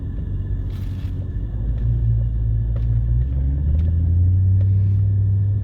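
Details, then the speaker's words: 2008 Mercedes S63 at 64,000 km, heard while driving; a low droning tone under steady road rumble that rises and shifts with speed, from the dual pump serving power steering and suspension; transmission ruled out. "the sound that you hear it was from the pump that's why it was making because it has double pump it's one pump for the power steering and one pump for the suspension"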